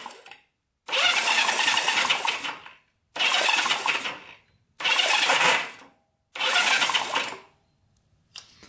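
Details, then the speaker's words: Barn-find Honda CB350 twin (1970 or 1974), sitting for years: four starter bursts of about two seconds each with short pauses, cranking without catching; one cylinder gets no spark, owner suspects points, plug or plug cable. "no spark on that one let's see if they're sparking this one oh yeah this one's got a good spark it's just the one that doesn't have spark"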